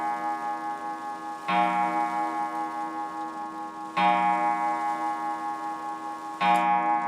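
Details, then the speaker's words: Free German wall clock, restored with a new pendulum-arm spring: steady ticking with evenly decaying gong strikes about every 2.5 seconds after the striker was thought to be faulty; strike train works normally. "And we just got to work out why the striker gong is not working. Oh, it is. There we go. Lovely sound."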